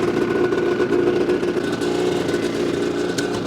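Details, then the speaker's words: New 2026 Ski-Doo MXZ 600 EFI Sport 129 snowmobile, 2 miles on the dash, in break-in mode, key start: even, fast two-stroke burble idling with light clatter and no stumbles, fairly quiet, normal idle. "It's actually pretty quiet in my opinion."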